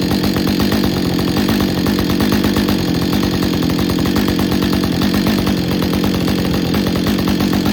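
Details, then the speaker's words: Husqvarna 562XP Autotune chainsaw after a full repair including autotune firmware update, on a test run with bar and chain at no load. Steady, even high-revving two-stroke buzz, idle about 2700 rpm and top about 13,000 rpm; running clean. "Okay, we're back in the shop on the bench again after a successful test run and the idle seemed to stabilize at about 2700 and the high-speed topped out. No load with bar and chain at about 13,000 and that's pretty good."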